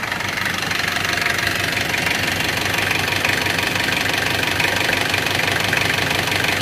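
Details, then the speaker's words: Isuzu Panther 2.3 diesel just restarted after engine rebuild (full piston set, rings, one used original liner replaced for a scored liner): even, steady idle clatter, no misses or knock, no exhaust smoke. Normal idle. "Jadi sementara mobil ini sudah hidup, baru saja hidup, dan hasilnya sudah bagus. Tidak ada asapnya."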